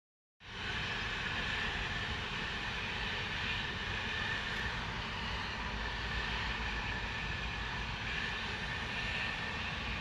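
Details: Loud continuous hissing noise, steady rushing roar unchanged in level, from Spooner Industries in Ilkley, 6 April 2021 at 8.45am; recorded from within a neighbouring property boundary, audible over 100m away; venting source unclear.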